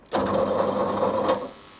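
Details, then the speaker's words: Early-80s Opel Monza coupe, injected 3.0-litre straight six, barn find first start attempt: a second of fast, even starter whirring, turns over but never catches; no petrol seen, solenoid clicking. Cause unconfirmed. "well it turns over it does it was draining a lot of power then I don't think it was running"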